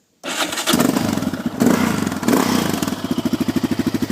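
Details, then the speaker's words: 2001 Yamaha Raptor 660 quad, cold start: it cranks and catches, a few throttle blips, then settles into a slow, lumpy thump of around eleven beats a second. It needs throttle because the idle is set a bit low. "Turn on the gas and give it some gas because the idle's a bit"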